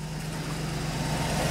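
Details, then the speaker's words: V8 at idle after replacing driver-side exhaust manifold studs: steady, smooth low rumble with no ticking or tinny rattle. The earlier manifold leak noise is gone and the exhaust sounds sealed. "Et là, il n'y a plus de bruit, il n'y a plus de bruit de casserole. Donc nickel."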